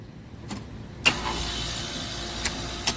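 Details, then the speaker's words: Trane package unit after compressor replacement, first running backwards with no pressure differential; after two power legs were swapped, the compressor starts with a click and settles into a smooth, even hiss, immediately building pressure differential. "a much smoother sound right off the bat and we're immediately getting they closed this off"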